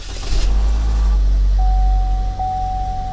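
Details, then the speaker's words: Salvage-auction car with front crash damage (radiator and condenser smashed, crash bar split), starts right up and settles into a steady low idle with a faint whine; runs healthy, though the A/C doesn't work. "it starts right up she runs good check out that air conditioning that's important"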